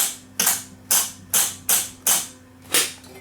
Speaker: and then if I press the program button, you'll see the head move. There's track 2, track 3, track 4, and then back to 1.